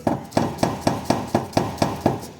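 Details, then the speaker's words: Lada Vesta in for a knocking complaint: sharp, evenly spaced metallic knocks about four a second, ringing briefly, from an exhaust with a crookedly welded flex pipe and a patched-together muffler; fixed cheaply with a champagne cork. "Коряво ввареная гофра. Ну и какой-то франкенштейн такой из глушителя как бы сваренный."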